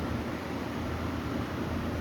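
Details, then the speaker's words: 2011 Carrier AC condenser after run capacitor replacement: compressor and condenser fan run with a steady low hum and even whoosh, no knocks, rattles or hard-start struggle; unit now running properly. "I wanted to make sure that the unit was actually running, or running properly, which it is. The compressor's fixed, so I'm happy about that."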